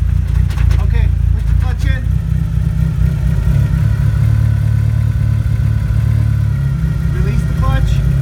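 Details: Mitsubishi Eclipse/Talon/Laser 1G (DSM, 4G63) while moving, a heavy steady low rumble droning from the rear; owner suspects the transmission, source not confirmed.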